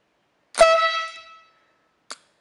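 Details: 12V dual-tone 135 dB air horn kit with heavy-duty compressor, triggered by grounding relay terminal 85: one strong two-tone blast of about a second, then faint relay click; working properly.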